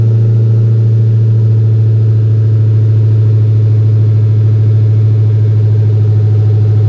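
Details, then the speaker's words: Chrysler 300 Redeye after rebuild, previously misfiring when dropped off: smooth, even low idle with a steady beat and no stumble or miss; it now runs healthy. "remember when they first dropped it off to us it was misfiring listen to it now sounds pretty good"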